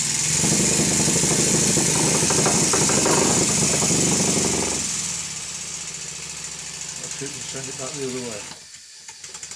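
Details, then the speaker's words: First-build Stuart Models 7A vertical model steam engine running in reverse despite loose reversing lever and drop arm: quick even chuffing about three beats a second with steady rhythm; runs well. "even with the reversing lever and the drop arm being loose it still goes into reverse and runs"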